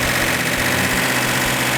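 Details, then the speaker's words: Plymouth Cuda V8 with matched carburetors after advancing distributor timing: strong even idle with bright exhaust bark, no skips. "This case, I had a perfect running engine. All 8 cylinders were firing equally."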